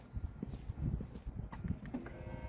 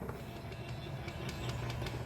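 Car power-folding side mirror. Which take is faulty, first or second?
second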